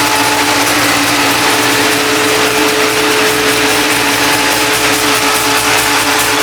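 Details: 1976 Chevrolet C10 with an LS7 V8, startup after fuses were installed and the harness rewired: a loud, steady, even roar with no knocks, misses or stumbles. The engine fires and runs smoothly.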